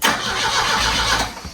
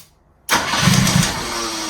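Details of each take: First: 1973 Volvo 144, cold, cranked with the coil unplugged after an earlier start made expensive-sounding noises: short, even cranking whir winding down cleanly with no grinding or lingering whine; starter fully disengaging, normal cranking. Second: 1973 Volvo 144 revived after sitting, on a third start attempt: engine races unevenly in a runaway idle with sharp irregular exhaust pops and clicking; backfiring, owners suspect ignition timing is off.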